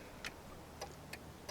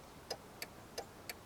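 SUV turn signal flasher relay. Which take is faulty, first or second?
first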